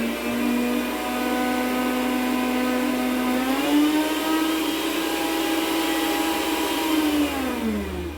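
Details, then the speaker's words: Mondial stand mixer switches on but the beater won't turn and is even stuck: a light, even motor whine that spins freely and winds down. "observou a máquina não está batendo o bedor inclusive está travado"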